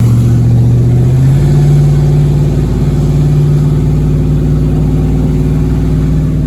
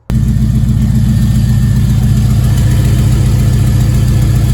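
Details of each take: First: Chevrolet Avalanche truck after an exhaust fix on an owner-built exhaust, following a successful test drive. A deep, even rumble that climbs and settles with the throttle, with no ticking or leak puffing: a normal, sealed exhaust note. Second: Avalanche exhaust after welding repairs, with the previously missing O2 sensor reinstalled. At steady low idle a soft, uneven puffing rides on the exhaust note; the front weld holds, but a good leak remains at the top weld.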